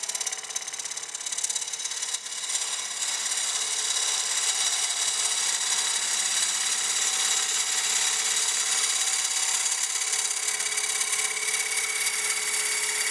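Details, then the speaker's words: Lathe turning a partially seasoned walnut bowl. A harsh, high buzzing rattle of two or three pulses a second sounds at the corner. The tool is chattering because it extends too far past the tool rest. "getting a little bit of chatter as that Tool's getting further and further over the rest right here on the corner so I'm going to stop that cut and adjust this just a hair"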